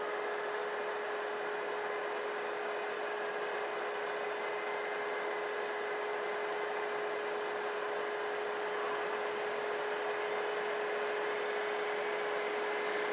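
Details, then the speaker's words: DIY-kit AC inverter driving an AC induction motor/generator, encoder at 64 pulses per revolution giving clean scope output, at good speed then slowed: steady hum with clean constant high tone, no knocks or grinding; healthy. "good speed there and then slow it down that's what I've been working on"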